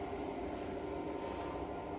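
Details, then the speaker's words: Hotel motorised window blind not travelling fully: the motor keeps buzzing steadily without cutting out, stalled against its end stop because the limit switches are out of adjustment. "Well, you hear that buzzing, that means the motor's still going, but it can't go any further. So it looks like your limit switches are out."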